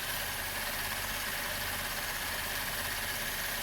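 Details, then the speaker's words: 2012 Chevy Impala about three months after upper intake cleaning, intake valve cleaning and replacement of the fuel injectors and harnesses: steady, even idle with no stumble. Zero misfires, smooth on all cylinders. "I showed in the last clip I was driving during a, I wouldn't have called it a snowstorm, but a pretty good snow event, and zero misfires. You can hear it now. Smooth as butter."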